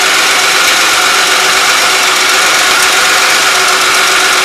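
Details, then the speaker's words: 2003 Buick Century started after replacing the oil pressure switch and cleaning the connector, checking for leaks: steady, even idle with an airy hiss and no knocks, ticks or misses, running smoothly and normally. "There we go. Start her up. Hopefully it won't leak."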